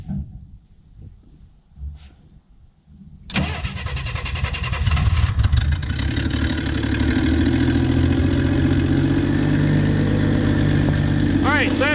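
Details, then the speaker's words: Warm 1967 Chevy II V8 with a carburetor that won't stay running unless the choke or throttle blade is propped open, too much air from a vacuum leak; it catches after a few quiet seconds into an uneven, lumpy rough idle. "this thing did not want to run basically i have to keep the star the my snap-on key in the throttle blade or the choke blade there to keep it running which means i'm getting too much air somewhere"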